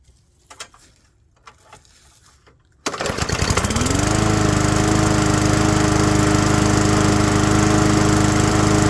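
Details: Abandoned single-cylinder walk-behind mower after a tune-up and carb work: pull-start catches and settles into a steady, even run with a clean firing beat. Most of the earlier vibration is gone, with a little remaining.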